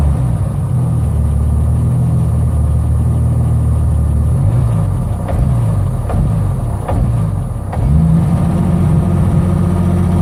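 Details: BMW 745i turbo E23 with M106 engine: uneven, stumbling low chugging that sags mid-clip then recovers; big hesitation and misfire problem, cause unknown.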